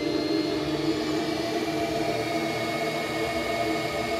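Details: GMC Envoy with code P0410, electric secondary air pump commanded on by scan tool: a steady electric whir with constant pitch for four seconds. The pump runs, but its outlet is blocked by a stuck-shut diverter valve.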